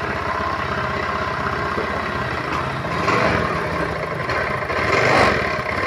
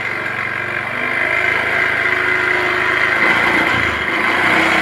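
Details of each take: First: Honda automatic scooter, hard to start and stumbling badly once running. Uneven idle with irregular dips and surges. Faulty EOT (oil temperature) sensor blamed; fixed later by replacing the sensor with a bolt. Before the fix: engine stumbling at low rpm. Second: Honda automatic scooter after the EOT oil temperature sensor fix. Starts easily and settles into a steady, even idle with no stumbling or misses. Normal idle after repair.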